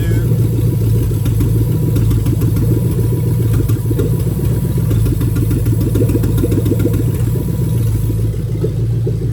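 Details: 2000-2003 Lexus LS430 3UZ-FE VVT-i V8 idling during a new engine harness injector test, one injector disconnected. An uneven, stumbling beat with missing exhaust pulses marks the misfire.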